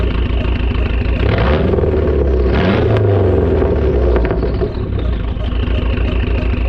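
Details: Dodge SRT-4 after fixing a crank-no-start caused by a broken camshaft key that let the cam rotate about 90 degrees; engine catches and settles into a steady, even idle with a faint rhythmic pulse; fuel pump reportedly squeaking.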